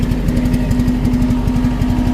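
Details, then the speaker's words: CAT 317 D2 wheeled excavator diesel, smoking; number four injector failed with nozzle tip totally broken. Heavy, uneven thumping over a rough idle, one cylinder dropping out: misfire from the failed injector. "the problem before was this uh the four injector was damaged totally the nozle tip is totally broken"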